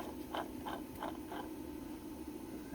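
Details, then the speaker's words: 2000 Lexus ES300 3.0 V6, towed in after dying while driving, pump turned by hand: gritty scraping sweeps; the water pump bearing has play and is worn. "I bet you the water pump going. Yeah, it's got play in the bearing."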